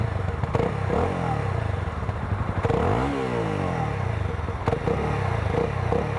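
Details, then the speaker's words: Honda CB300R 300cc single-cylinder motorcycle blipped at standstill: revs rise and fall cleanly with a deep, fuller exhaust note than expected for a 300cc single; normal healthy exhaust. "Doesn't feel like a 300cc single cylinder motorcycle at all."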